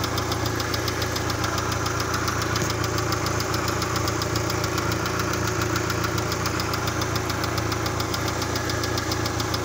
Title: Посторонний Звук двигателя